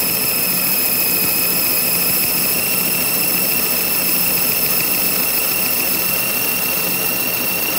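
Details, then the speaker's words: Lathe boring the nose of a bullet mold cavity on the final pass, around 0.455 in diameter: loud, steady high-pitched squeal that grows as the cutter radius engages more of the part; the tool is hanging out a long way. "Is that radius on that cutter starts to engage more of the part, it picks up more of the squeal. But it is hanging out there quite a ways."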